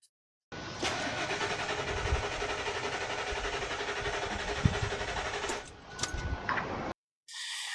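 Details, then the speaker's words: Old Ford F-150 that sat over a year, fuel filter already replaced. The starter churns steadily about six seconds and never fires. A load test at the fuel pump relay during crank shows it needs a fuel pump: crank-no-start from a failed fuel pump. "Make sure it does it on crank. Can't crank it. Needs a fuel pump."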